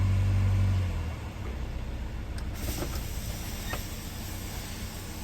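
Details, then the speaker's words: 2008 Chevy HHR 2.2 I4 power-braked in drive runs rough with an uneven, stumbling throb from an intermittent cylinder 4 misfire that stayed on cylinder 4 after a coil swap; cylinder 4 compression is 60 versus 120–140 on the others, so the engine needs replacing. "then come to find out that number three two and one compression is right around 120 140. number four is at a solid 60. so it's time for an engine"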